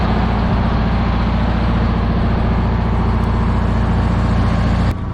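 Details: 1977 MCI bus with vintage low-mileage Detroit Diesel and Allison transmission: a deep, steady diesel rumble with an even beat, plus a constant whoosh from the belt-driven blower fans on top cooling the engine; a healthy idle.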